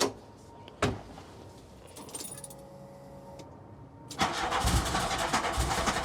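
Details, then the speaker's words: MK2 VW Golf GTI with intermittent idle valve buzzing, just after a 12 V supply and earth check on the idle valve wiring: short crank, then it catches into a steady, even idle around 1000 rpm, not lumpy. "That seems to be idling nice and smooth. Let me check whether the idle valve was vibrating, but that seems all right. Doesn't seem lumpy."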